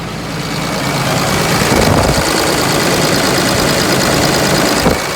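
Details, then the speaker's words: Ford F550 with a 5.9 Cummins common rail swapped in for the 7.3 and a FAST lift pump, with fuel pressure holding at 15 psi; at high idle it holds a steady, firm rumble and the earlier pump buzz is gone. Normal high idle. "Still holding steady at 15. And no buzz, so I guess that was the problem."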